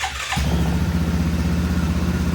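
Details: Yamaha 660 Grizzly ATV started in the 30s°F cold before an oil change: catches straight away and settles into steady even idle with low thump, no misses or knocks; clean start.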